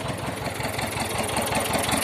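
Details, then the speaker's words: T-25 tractor diesel after repair (new brake drums, final-drive gaskets and two seals, cable throttle, brakes adjusted), just started. Steady, even diesel chug at idle with regular firing pulses, no knocks or misses; idling normally. "Работає наче нормально, завели. Ще залишилося помити його хорошенько."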